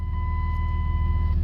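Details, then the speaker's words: 2003 Dodge Grand Caravan 3.8 L idling with a steady high whine that stays at one pitch over a low, even rumble. The alternator is failing; it also caused transmission faults and was fixed by replacing it with a used alternator. "I don't know if you could hear that that humming sound you're a real bad humming noise look"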